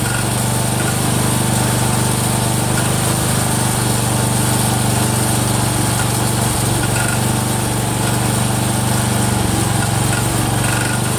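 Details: Cub Cadet 102, freshly rebuilt Kohler single-cylinder: steady run with light fast tick over exhaust beat; damaged front crankshaft pulley coming apart, not the rod.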